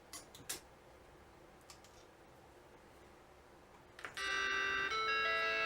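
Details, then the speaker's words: Vintage Macintosh logic board after repairing a broken trace in the sound circuit with a patch wire and refitting a capacitor: faint clicks then a clean sustained startup chord; normal startup chime. "hey we got a chime wow wow nice nice that is an amazing feeling"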